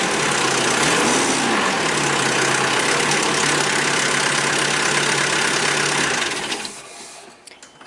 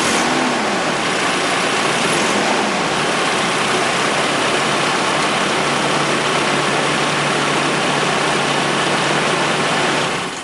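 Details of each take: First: 1996 Nissan with KA24E engine, cold morning start-up: a harsh metallic clatter rides over the engine, then fades away; fixed by installing a timing chain tensioner spacer. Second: 1996 Nissan KA24E four-cylinder after installing timing chain tensioner spacer: steady even roar with no morning start-up chain rattle, then clean shutoff; rattle fixed.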